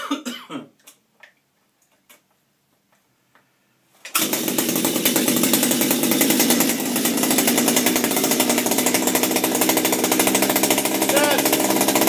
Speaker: you can hear it moving in there bad that's a good thing she's popping that's a positive